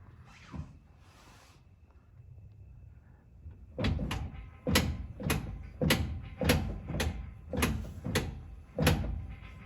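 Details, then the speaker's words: 2017 Ford Raptor on jack stands, rear tire rocked by hand, a truck that clunks on deceleration from 4th to 3rd: about seven dull clunks, one per rock. Rear driveline lash. "I'm going to go ahead and rotate this tire back and forth and pay attention to the lash and the drive line. So, there's definitely an audible sound there."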